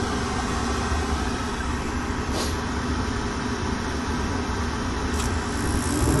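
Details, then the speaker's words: Old Lennox rooftop gas unit, newly replaced inducer motor after old one kept pressure switch from closing: even, steady low hum with burners lit, no rattle or grind; new inducer much quieter, running healthy. "give this new motor chance see what it does way quieter much much quieter"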